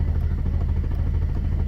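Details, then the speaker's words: BMW E32 7 Series with M30 six-cylinder, having just stalled on parking: steady, quick starter churning, cranks but won't fire or start; owner had ruled out idle valve, coil, fuel pump, regulator, distributor. "Let's see what happens when I turn on the ignition and try to crank the car. Yep."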